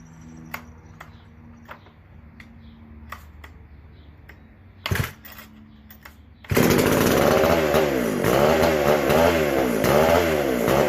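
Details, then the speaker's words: McCulloch SP125 chainsaw, just after fixing a large gap between the carb and intake: quiet ticking, then it catches and runs at a steady, lively buzz with clean revving; sounds much better and healthy. "That sounded a lot better."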